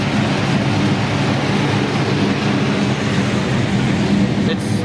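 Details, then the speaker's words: '68 Dodge Charger V8 just after first fire, being tuned: loud lumpy idle with heavy low rumble and uneven loping beat; idle air-fuel ratio reads 11.5, target 12.5-13, so idle mixture too rich, needs less fuel. "rich it's still at 11 and a half it needs to be like 12 and a half 13. for what idol that's why it's so rich"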